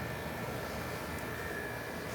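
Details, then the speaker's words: 1970s Amana 18,000 BTU (1.5 ton) room air conditioner on low cool after new connections: even rush of air with faint constant whine, no rattles or knocks; compressor quiet, running healthy. "That compressor sounds good. That's quiet for one and a half ton."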